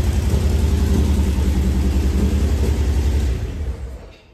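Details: 1986 Pontiac Fiero GT sitting for several years, first start: low, uneven puttering idle for about three seconds, then the engine dies away. Runs rough; owner suspects something in the ignition, not confirmed.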